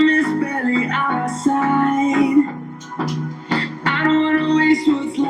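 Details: Mi LED TV after its cracked speakers were replaced with new ones, playing music from a pen drive: clean music plays through the TV speakers with no crackle, buzz or rattle; the speakers sound healthy.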